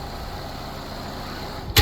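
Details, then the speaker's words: 2017 Nissan Rogue AWD, hood open, engine idling after starting right up that morning; smooth, steady idle hum with no ticks or knocks, a handling thump near the end, sounds healthy. "Here is the guts. Sounds like it's doing what it's supposed to be doing."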